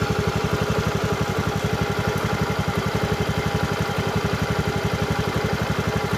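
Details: Honda BeAT scooter after CVT work with the worn clutch shoes refurbished rather than replaced: an even, steady idle of about four beats a second with no judder or rattle, a normal idle.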